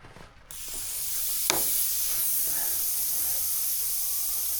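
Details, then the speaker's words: DIY greenhouse drip irrigation line under pump pressure: a sharp, steady hiss as water sprays out at a fitting where it shouldn't leak. Owner thinks it was maybe closed off; cause unconfirmed. "ਇਹ ਬਾਹਰ ਛਿੜਕਾਅ ਨਹੀਂ ਹੋਣਾ ਚਾਹੀਦਾ। ਬਾਹਰ ਛਿੜਕਾਅ ਨਹੀਂ ਹੋਣਾ ਚਾਹੀਦਾ। ਉੱਥੇ ਨਹੀਂ।"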